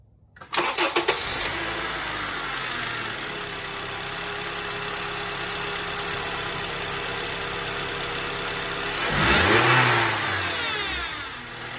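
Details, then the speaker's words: 2012 Honda Accord K24 4-cylinder at start and idle: loud whine rising and falling with rpm from a failing power steering pump; fluid is good, pump being replaced. "so as you can hear it's quite noisy and it tracks with the RPM of the engine which is indicative of something down here on this you know driven by this pulley being faulty"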